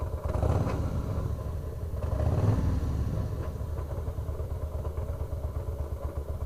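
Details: 2004 Harley-Davidson Fat Boy, about 5,000-6,000 miles; lumpy idle with irregular bursts of metallic clatter and rumble from the bottom end, coming and going: loose compensator bolt/nut, fixed by torquing to 150 ft-lb with blue Loctite.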